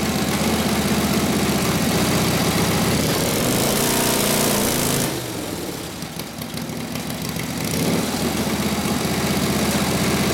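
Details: 1936 Harley RL-frame bobber with later 1940s WL 45ci flathead V-twin, 1939-40 3-speed, after rebuild and points timing: uneven potato-potato beat around four pulses a second while warming up, brief blip settling back; muffler sounds good, spits flame when revved; normal idle.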